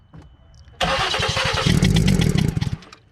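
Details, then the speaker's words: 2015 Ford Explorer 3.5 V6 needing a number three coil pack: starter turns the engine over at about four beats a second, sluggish and labored; slow crank. "let it run for a second if it can all right it's slow start it up"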